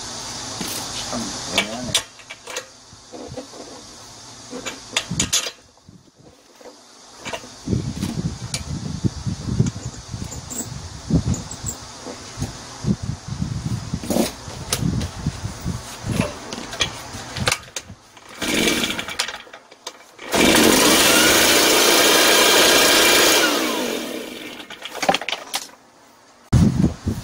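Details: Shindaiwa EB803 engine blower, small two-stroke that would not start, tested with a new spark plug: after handling clatter and pull attempts it roars about three seconds then dies.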